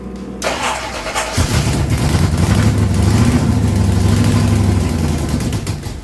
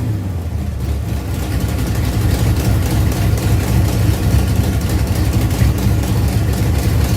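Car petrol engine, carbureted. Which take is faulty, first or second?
first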